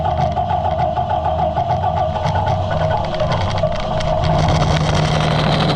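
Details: Allis Chalmers 175 diesel tractor, reassembled, after bleeding the injection pump: settles into a steady, even low rumble with no knocks or misses; normal running, slight mist from exhaust after sitting.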